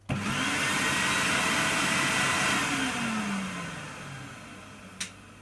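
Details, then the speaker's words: Vintage 1990 Numatic David vacuum cleaner, first run after unboxing: the motor spins up to a steady, even roar and winds down smoothly with no rattles or scraping. Normal running. "Yeah, runs pretty sweet to me, that does. Nothing wrong with that."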